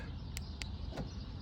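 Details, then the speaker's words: 2006 Land Rover LR3 tested after repairing its aftermarket remote fob: three quick crisp clicks over a low background hum as the door lock actuators unlock. Central locking works normally again. "yep I could hear that un lock awesome back in business"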